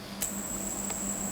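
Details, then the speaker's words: COCOBASS baitcasting reel modified with grade-A short bearings at the magnetic brake, centre shaft and spool: after a click, a thin, steady high whine holds without wavering and keeps spinning; the spool turns freely and smoothly. "นะฮะลื่นปื้ดลื่นปื้ดน่ะมีหูยังไม่หยุดนะครับดูนะฮะอ่ะนะฮะยังไม่หยุดเลยอาอ้าอ่ะ"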